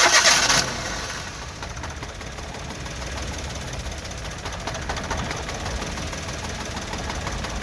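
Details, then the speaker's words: Three-cylinder car engine started with two of three cylinder ignition connections disconnected, running on one cylinder: lumpy, shaking idle with uneven chuff, demonstrating misfire vibration and power loss. "അതായത് സിലിണ്ടറിൻ്റെ എണ്ണം കൂടുമ്പോൾ നമ്മുടെ വാഹനത്തിൻ്റെ വൈബ്രേഷനും കുറയും, വാഹനത്തിൻ്റെ സൗണ്ടും കുറയും."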